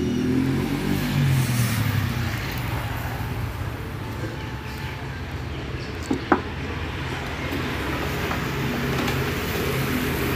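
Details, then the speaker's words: Freshly rebuilt Honda GL-type single-cylinder motorcycle engine with a new piston and thinner oil, first start: an even, soft put-put at about three beats a second with no knocks or rattles; a very smooth idle, though valve clearance may change as it beds in. "Oke kalau untuk suaranya alus lah ya halus banget nah ini"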